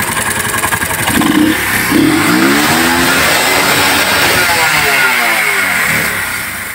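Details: 1978 Honda CD70 70cc bike with points ignition, after reducing the points gap to cure misfiring and checking carburetor level: revs up and drops back smoothly with even beat and no missing; normal revving.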